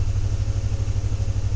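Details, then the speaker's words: Chevy Tahoe idling in drive, foot on brake with slight gas: deep V8 with uneven stumbling pulse, shaking, check engine light, cylinder 4 misfire code. "hopefully i can't hear it so yeah definitely have a misfire check engine light on"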